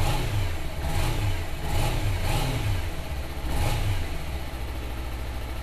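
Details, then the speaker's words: Suzuki Inazuma (GW250) twin at 15,608 km, low on fuel: a steady low idle between quick throttle blips, returning cleanly each time. Normal healthy idle. "Tuh teman-teman, langsamnya juga bagus ya."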